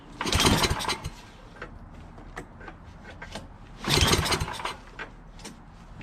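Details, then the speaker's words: Yardman 8.5 hp 26" two-stage snowblower, reassembled from parts, with good oil, gas in the tank, and its throttle plastic missing. Two hard recoil pulls give brief rattling spins without catching. Fuel smell present, spark found afterward: cranks but no start. "Alright, well, it doesn't start. Just try pulling it a few times and it won't start."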